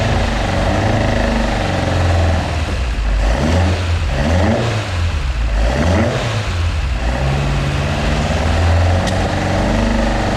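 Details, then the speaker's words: Mk2 Ford Escort with Pinto engine, first fire-up after swap, camera on stand: blipped then uneven, hunting idle with irregular low-end pulses; lumpy because carburettors only mildly set up and still need setting up. "so as you can see that's the car running i'm not sure if you can hear me um the carbs still need setting up so that's why they're a little bit lumpy"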